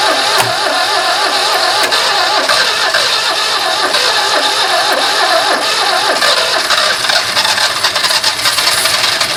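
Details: Barn-find 2CV flat-twin three-wheeler stored 25 years, started with starting spray: busy raspy chatter with a few loose rattles, running steadily again. Engine running.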